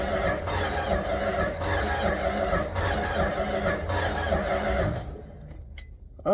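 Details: 1967–70 Dodge A108 van, 318 V8 with three-on-the-tree manual and timing issues: after fuel is poured into the carburetor, the starter cranks briskly and evenly for about five seconds but the engine never fires; cranks but will not start.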